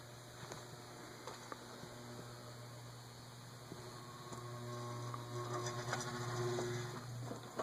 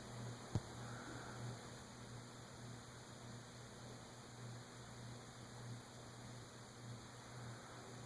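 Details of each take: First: 1920s Emerson 6-blade 30" Longnose antique ceiling fan, stiff to start, on a low-speed control setting. Low steady mains hum with faint ticks and no spin-up as the motor stalls; a too-tight oil cup or a catching felt washer is suspected. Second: Emerson 6-blade 30-inch Longnose (Fernleaf) antique ceiling fan, believed 1920s, first test after assembly, stiff to start: low, even mains hum with soft steady whoosh, no ticks or rubs; running smoothly and relatively quietly.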